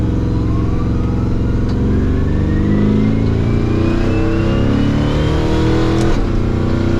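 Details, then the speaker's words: Twin-turbo Cadillac Escalade with 427 Dart block and ported Brodix BR7 heads on first drive after rebuild: loud V8 rumble with whine climbing in pitch at low speed; normal straight-cut transmission gear whine. "Do you hear that whining whenever we're at low speed? Yeah. That's the straight cut gears."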